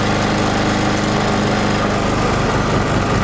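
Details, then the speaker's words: Chinese generator, about 50 kg, converted to propane: while carburettor petrol runs out and propane is opened slowly, the small engine runs rough and loses its steady beat, bogging from an over-rich mixture. "так знаем пока бензин вырабатывается и медленно открываем пропан если я сейчас открою то он будет давится послушайте"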